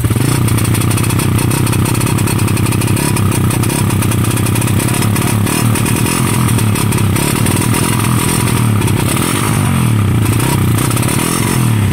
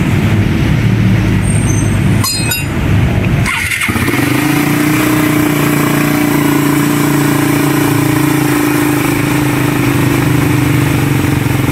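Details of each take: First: Raider 150 motorcycle: revs drop and stumble with rough popping and rapid backfire, RPM cutting out and no power; CDI had been converted to a Wave 125 4-pin unit. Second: 2019–2020 Raider 150 motorcycle after engine refresh: cranks briefly, catches, then settles into a steady, even idle with no knocks, misses or popping; running normally.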